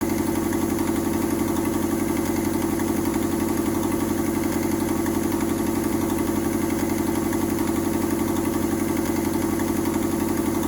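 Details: Mazda 121 Metro petrol engine at steady idle with a quick, regular puffing tick over the engine note from an exhaust leak.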